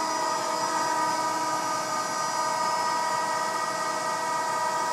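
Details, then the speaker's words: Bridgeport Romi EZ Path S 17x40 CNC flatbed lathe (DX32R control, spindle up to 4,000 RPM) spindle running at 500 RPM: steady clean high whine with even gear tones, no knocking or grinding; nice and quiet, normal. "It's 500 RPM. 500 RPM. It's nice and quiet."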